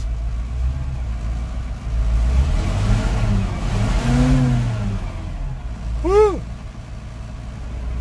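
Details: 1988 GMC 7000 with 8.2L naturally aspirated Detroit diesel, running again after stalling and no-restart despite fuel filter change: deep rumble swells smoothly as it revs and settles, no knocks or misses; normal revving.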